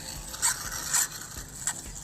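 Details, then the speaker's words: Arrma Talion EXB RC car on 6S LiPo, stock steering servo, after steering was suddenly lost on the track: four short, harsh, high-pitched grinding bursts about half a second apart; steering servo grinding, servo failed. "looks like this servo just went to poo"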